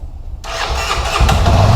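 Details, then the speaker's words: Honda CB 300 motorcycle at 7,000 km, engine rebuilt after a crankshaft bearing defect caused an engine roar; after repair the starter catches quickly and it settles into a steady, even idle with no roar or knocking. "olá pessoal cb 300 finalizada motor já foi colocado no lugar e a fazer um teste nela tudo perfeito o barulho se acabou vamos bater arranque nela agora para ver"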